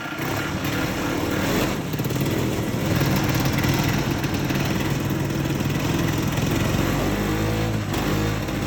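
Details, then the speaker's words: 1969 (owner believes) Tradewinds Tiger snowmobile, single-cylinder two-stroke, runs evenly and swells when blipped with no knocks or misfires; runs good, though a little carb tuning is still needed. "well this is a fun little slud it runs good it sounds good A little bit of carb tuning still needs to be done"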